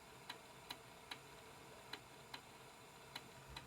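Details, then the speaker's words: Aiwa XR-MD510K cassette deck after cleaning rubber belt goo and fitting new belts, during playback: sharp light clicks about every 0.4 s, occasionally skipping a beat, a rattling fault of unknown cause; playback may also run slightly slow. "It does sound like it's rattling a bit. Can you hear the clicking?"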